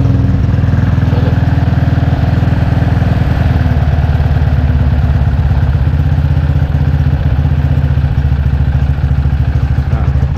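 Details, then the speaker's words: Motorcycle on stock camshaft after removing high-lift cam, with stock valves: steady even idle with soft smooth valve sound, no missed beats or high-lift cam noise; healthy. "kedengaran ya suaranya jadi suara standar tuh dari suara klepnya juga jadi halus mesinnya gak ada suara apa gak ada suara nokenas yang Lif tinggi itu kan bunyi"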